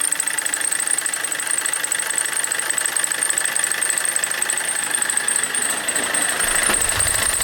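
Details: Opel Corsa D 1.3 CDTI diesel at idle: thin constant high squeal over the idle; owner suspects the accessory belt, cause not confirmed.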